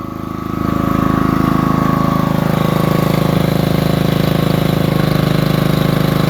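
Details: Generator cold start on a freezing, windy day: the small engine settles into a steady fast drone with an odd buzzy, pulsing edge that isn't its usual note; cause unclear; unusual running noise.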